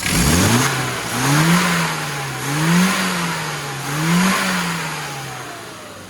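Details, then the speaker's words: Car after tune-up with new carburetor, aggressive advance curve, 0.8 ohm coil, new plugs with 35 thou gaps, 1.5k ohm leads and K&N filter: clean rising and falling revs in three smooth blips, crisp pickup, even settle; healthy. "this one sounds good"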